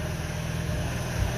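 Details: Ex-navy Chinese clone of a Suzuki micro van, small twin with points ignition, warming up after starting, a little smoke and owner may adjust fuel mixture; steady low rumble, even beat, no misses; normal idle.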